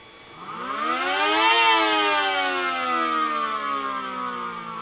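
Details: Mini SD10 siren after replacing rubber motor-axle part that rubbed motor bearing, plus motor cleaning and oiling; previously sticky, wouldn't reach full speed and stopped too fast: wail climbs smoothly to full pitch in ~1.5 s, winds down slowly; spins freely.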